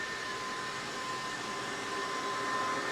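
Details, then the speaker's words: Newly installed Kaeser Air Tower screw compressor running in a shop near machines: steady smooth hiss with a faint constant tone, no knocking or pulsing; not intrusive, quieter than a piston compressor; normal running. "You can stand here by the machines with it running. It's not intrusive. It's not loud and noisy like a piston compressor."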